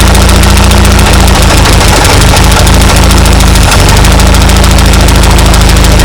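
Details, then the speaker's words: 1939 Ford tractor, 20+ years in a field, with the choke butterfly adjusted: a loud, low-pitched thumping engine stumbles briefly, then settles into a strong, even run at steady speed, burning off old carbon. Engine running normally. "That's pretty exciting right there. Ran good."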